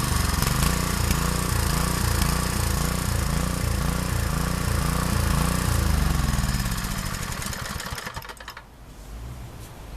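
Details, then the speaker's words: Harbor Freight 6.5 HP Honda-clone engine after carburetor replacement: speed rises and falls about two swells a second before shutdown; surging, owner may adjust the carb needle valve. "so it is running it is surging high rpms are about 3,600 and idle is about 3,000"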